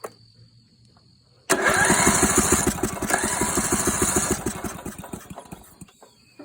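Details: Yard Machines small engine, pulled from a scrapyard, after refitting a flywheel whose magnet now holds a bolt and readjusting the coil: starter cranks at an even, steady beat, about three turns a second, but it never catches; a wrong spark plug was fitted.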